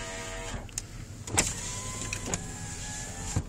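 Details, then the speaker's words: 2001 Dodge Ram SLT 2WD extended cab with 5.2 engine, 98,000 miles: power windows run up and down with a smooth, steady motor whir and a soft thump at each stop; window motors working normally. "Windows go up and down."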